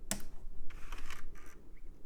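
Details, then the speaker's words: iMac G4 CD drive tray after fitting a replacement belt of the correct diameter but slightly thinner: short whirring bursts with light clicks as the drive powers up. Normal tray mechanism. "okay well that's more than it was doing let's see if it [Music] opens yep see if it closes all right I think that'll work"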